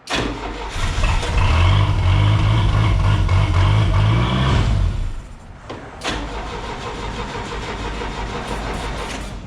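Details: Old Mercruiser 120 inboard sterndrive engine in a boat abandoned for over ten years: short crank, then it catches, revs up and settles into a steady, even idle; healthy start.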